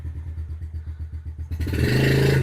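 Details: 2013 Yamaha TTR50 with new training wheels, in gear with rider aboard: steady, even single-cylinder putter at idle, then a clean rise in pitch as throttle opens; healthy little engine pulling normally.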